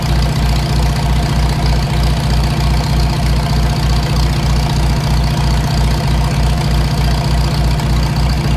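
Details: Farmall Super M tractor engine awaiting rebuild: loud steady low idle with a heavy regular knock about three times a second from inside the engine; engine knock at idle.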